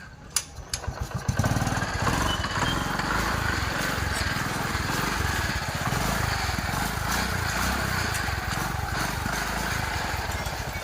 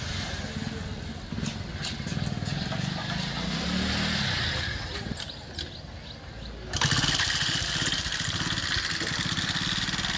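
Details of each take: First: TVS XL 100 Heavy Duty engine after valve tappet adjustment and tappet cover refitted: brief start-up, then a light, steady idle putter with no top-end ticking; tappet noise problem solved. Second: TVS XL 100 Heavy Duty: small single engine starts and runs with fast light ticking over the exhaust beat. The head cover is opened to check timing chain versus tappets, and it is tappet noise from excessive valve clearance.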